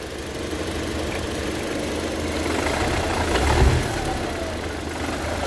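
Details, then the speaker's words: 2003 Audi A4 at idle, no transmission fault codes: one heavy dull thud when shifting into gear or reverse and moving off; diagnosed as worn transmission mounts, to be replaced. "aquí nosotros nos damos cuenta que es problema de soportes eh de la transmisión vamos a reemplazar lo que son los soportes"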